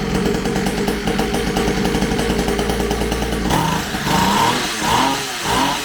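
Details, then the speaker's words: Syx Moto 50cc two-stroke dirt bike after pull-start repair and coil replacement fixing no spark: buzzes at a fast, slightly uneven idle, then blips up and down cleanly; runs decently after idle adjustment, normal running. "had this thing run for a little bit i adjusted the idle on it it runs pretty decent now"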